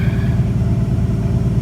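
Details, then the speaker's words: 1962 Ford Falcon, carburetor with manual choke partly on, after the electric fuel pump has pressure again: deep, even low rumble, steady beat, no misses or knocks; runs great, healthy normal idle while warming up. "But now she runs great, so we're gonna let her warm up, turn the choke off, put the air cleaner on, drive around in here just a hair, and we'll go from there."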